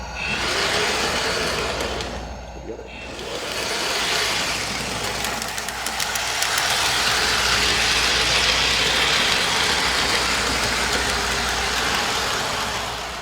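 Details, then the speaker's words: Lionel LionChief starter set engine on metal track moving from an uncarpeted to a carpeted section: steady metallic rolling rush, hollow roadbed drumming softening on carpet; carpet fibers inside the roadbed reduce the hollow sound, wheel noise remains. "You still have metal wheels on metal rails, so there'll be plenty of noise as your train runs around. But that hollow sound from the inside of the roadbed is greatly reduced by having the fibers of the carpet nestled up inside."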